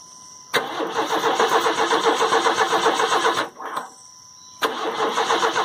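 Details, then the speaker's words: Crank, no-start after a new battery was fitted: steady starter cranking at about four beats a second with no firing. The owner hears no fuel pump kick in and suspects a dead pump on the CPI (non-carb) engine. "okay I think the fuel pumps out of it I'm not hearing a fuel pump kick in so yeah I'm not hearing a fuel pump"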